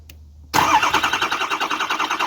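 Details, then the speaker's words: Ford 6.0 diesel cranking with the starter wire after the oil cooler was replaced and oil filled to half on the dipstick: steady, even cranking pulses at about seven per second with no skips, a healthy consistent crank. "now that's the sound you want to hear a consistent repetitious even sound"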